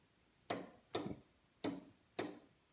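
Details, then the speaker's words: Newly installed gas hob converted from natural gas to bottle gas: four dull clicks about half a second apart as four burners shut off, each thermocouple fail-safe (flame failure) valve closing properly. "Four clicks. Do you hear them there? Dunk, dunk, dunk, dunk, they came. Those are the fail-safes."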